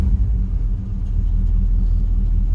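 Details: 1985 Chevy El Camino after heater control repair. Deep, steady rumble with an even, unbroken beat and no knocks or squeals; engine running smoothly.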